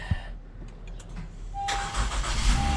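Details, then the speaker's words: Car that suddenly wouldn't start, only flashing when start pressed, now jump-started with cables attached: quick crank catches and fires into low steady run without hesitation; weak battery confirmed as the problem. "It's battery guys battery yung ating problema All right confirm battery ang problema yun guys"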